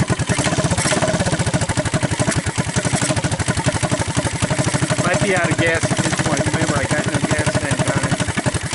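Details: 1983 Honda ATC200 single-cylinder after a budget top-end rebuild with used cylinder, used rings, torn valve seat and no new gaskets: crisp putt firing very regularly, about ten beats a second, no clatter or misses; the engine runs fine.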